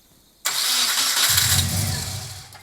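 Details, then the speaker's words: Subaru after WRX turbo conversion, first start: catches with a loud hiss and uneven, lumpy low beat, sounding like three cylinders; one cylinder dead, suspected to be an unplugged coil plug. "I mean, it's it's sounds so weird. It's like three cylinders, but it's good otherwise."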